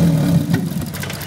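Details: 2001 Honda Civic 1.7L: engine fires, holds a moment, then sags and stalls within a second despite good spark, fuel pressure and injector pulse; cause was an incorrectly installed timing belt, fixed by resetting the belt.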